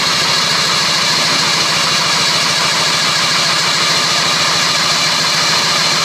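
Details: 1974 Daihatsu S38 mini truck, cranked with fuel squirted in and the choke not hooked up: steady fast starter chugging for six seconds, never catching; cranks but won't start, compression check follows.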